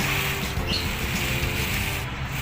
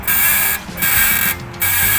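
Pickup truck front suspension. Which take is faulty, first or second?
second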